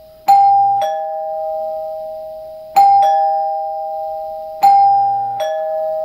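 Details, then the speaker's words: Newly installed Dimango/Thomas & Betts door chime replacing a NuTone L-30 Chord-Tone: clear two-tone ding-dong rung three times, each note fading cleanly. Chime works normally but is barely audible outside, quieter than the old Chord-Tone. "okay so i can barely hear from outside so it's definitely not as well as the older chord tone"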